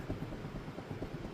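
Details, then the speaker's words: Rear wheel rocked by hand on a lift: rapid dull knocks from play at the rear wheel, suspected worn hub bearing, with a scraping noise from the rear while driving; hub and bearing to be replaced. "Put my hand on the tire and wiggle it. And there's some play."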